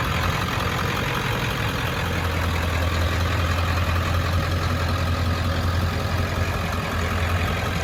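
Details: 1995 Ford F-350 dually, 7.3 Powerstroke diesel, five-speed manual, about 121k miles, serviced: deep steady diesel idle with even beat and strong exhaust note, no knocks or misses; normal healthy engine.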